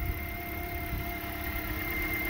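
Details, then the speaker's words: 2010 Toyota Corolla 1.8L 2ZR-FE inline-four idling after alternator replacement and radiator neck port repair: quiet, smooth, steady idle with faint belt hum and no knocking; running fine. "Okay, fire it up. She's purring like a kitten. That's what I wanted to hear."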